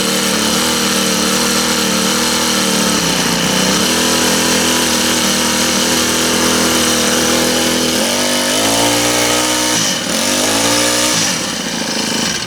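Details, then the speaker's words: Honda GX25 four-stroke trimmer started before its service, with low, very dark oil. It buzzes evenly, revs rising and dropping cleanly with throttle blips and no misses or stumbles; it starts and runs normally. "Probably just get her started here and see if it'll run. That fired up pretty good. Well, it did."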